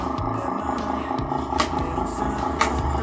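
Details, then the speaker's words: Standard desk fan runs but is noisy, with a rough uneven hum and rattle; the oil has dried out, so a worn motor shaft and bushing are suspected, and a blown fuse was previously bypassed with a jumper. "So buksan natin ah malamang yan busing shafting yan."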